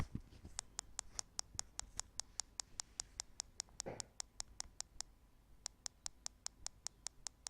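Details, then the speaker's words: Google HTC Nexus 9 tablet, microphone held to bottom speaker: sharp, evenly spaced clicks repeating several times a second with short gaps, constant and obvious in a quiet room; speaker clicking fault. "as you could probably hear it's quite annoying to have the sound on your tablet because it's not that loud but especially when you're in a quiet room it's very obvious"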